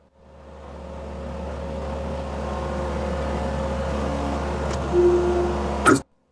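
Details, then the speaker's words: Restored Case 1840 skid steer moving dirt: steady engine drone, then sharp metallic clanks each time the bucket dumps; worn bucket pockets for the quick-attach plate locking pins leave the bucket loose. "Every time I dump, the bucket makes a clanking noise. And that's because this bucket is so worn, the pockets where the locking pins go down from the quick attach plate are wore out, which makes it loose and clank every time I dump it."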